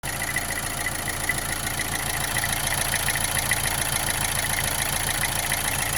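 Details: Opel Astra J 1.7 CDTI diesel after oil change: steady idle with regular knock about two per second over clatter plus vibration; runs good, no smoke; cause unknown.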